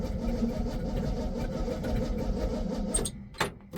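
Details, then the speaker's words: 1966 GMC pickup, choke possibly not hooked up, batteries low: starter cranks steadily about three turns a second but won't fire; owner thinks it lacks enough gas, possibly a constricted rubber fuel line. "Nope. I don't think we got gas, at least enough to run."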